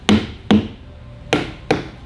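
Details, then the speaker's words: Truck rear inside tire going flat, struck with tire thumper: dead, duller thuds versus a properly inflated tire indicate low air pressure. "If they hear that difference, then they'll break out the extremely highly calibrated machine, the actual air gauge, and then check your air pressure, and then write you a ticket for having low air pressure, even if you are empty."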